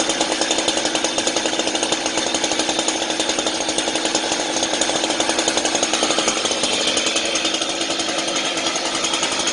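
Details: Chainsaw left running until its fuel is used up, for storage: fast, even two-stroke buzz holding steady with no misses or surging; running cleanly at constant speed.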